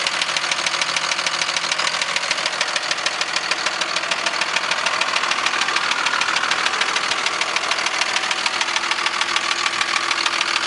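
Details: 2002 Dodge Cummins diesel at idle: a sharp, steady knock of roughly three raps a second riding on the diesel clatter, a weird engine knock.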